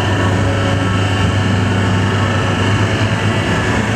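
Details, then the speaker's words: V40/V70 hydraulic cardboard waste baler, plate lowering to reach stuck cardboard: steady low hydraulic hum, even pump drone, no knocks or squeals; normal. "I'll keep it on down you can make it go down a little bit"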